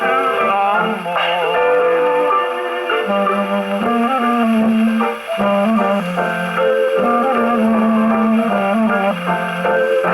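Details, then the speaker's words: Rebuilt all-brass HMV No4 gramophone reproducer (new gaskets and diaphragm, after an earlier buzz complaint) on an Electrola 101: music comes through clean and full with no rattle or buzz on louder notes; normal playback. "you know it sounded pretty good so far so good"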